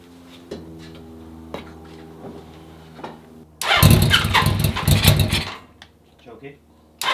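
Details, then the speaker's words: 1980 Honda CB650 bobber, restarted on the second exhaust. Low, fairly even idle with a few soft pops, then a short, sharp, clean rev. It runs much better, even off choke; idle was low and raised with the idle screw. "Okay, it's running way better. Even when I turned the choke off, it sounded good."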